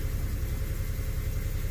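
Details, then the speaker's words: 2008 Chevrolet Impala 3.5 after clearing codes (5-volt reference fault causing no-start, long crank, reduced engine power): restarted, steady even idle with no misses or knocks, running normally. "if I start this thing let's turn it off and start it again should be running okay not in reduce power mode"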